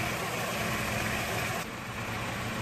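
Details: Toyota AE86 4A-GE idling smoothly and evenly after timing set to 10° BTDC in diagnostic mode, then ECU-controlled at about 16–17° BTDC, and idle screw adjusted toward about 800 rpm; normal, healthy idle.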